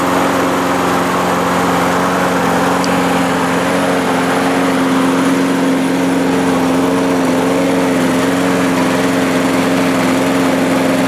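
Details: 1998 Murray push mower, primed: steady constant drone throughout with no surging, stumbling or knocking; running properly, earlier vibration possibly from blade.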